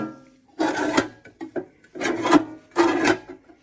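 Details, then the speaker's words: Kobalt mini toolbox after greasing the slides with Super Lube synthetic grease: three long dry rasps as the bottom drawer is pushed and pulled. It still scrapes metal on metal, though not from a lack of grease. Drawer slide scraping. "Well, that bottom one still sounds like it's scraping, but it's not from a lack of oil grease in there, that's for sure."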